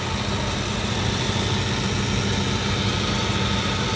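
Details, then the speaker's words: 2002 Suzuki Katana GX with the bonnet open, engine bay shown. Steady, even idle with a smooth low hum and no knocks or misses; the engine still sounds good and healthy. "Coba kita gas Insya Allah suaranya mesin masih baik"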